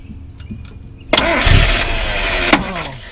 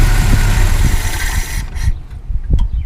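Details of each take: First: Mazda B2000 truck that wouldn't start, starter tapped with a hammer while cranking: a few light metallic taps, then the engine catches at once and idles; sticking starter. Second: Mazda B2000 truck idling after replacing a worn, leaking gasket, checked for leaks: deep, even rumble at low idle with no knocks or misfires; normal idle, leak fixed.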